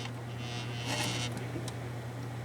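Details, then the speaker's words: Desktop gaming PC, side panel off: a steady low buzz, like a 60 Hz hum, first blamed on the five-year-old Thermaltake PSU. It persists with the fans stopped and comes from the loose hard drive cage rattling. "Because all the fans, I can stop the fans, I don't hear it, but it's right in here. That's where I have my noise."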